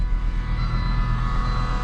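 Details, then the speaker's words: Volvo with 204,369 miles at salvage auction, engine light on: low droning, really weird humming noise with uneven lumpy pulse at idle, running rough; cause not determined. "really weird humming noise it's got an engine light running rough"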